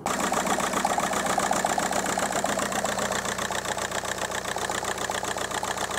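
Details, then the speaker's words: 2002 VW Golf PD130 diesel at idle with an uneven rhythmic stumble, about two to three beats a second, before the injector loom was replaced. A code reader showed a cylinder 3 misfire and low injector voltage, which could be causing lack of power. The owner suspects a loose or disconnected plug. "it came back and said there was a misfire on cylinder 3 there was something to do with low voltage to the injector on cylinder 3 and then misfire detected on cylinder 3"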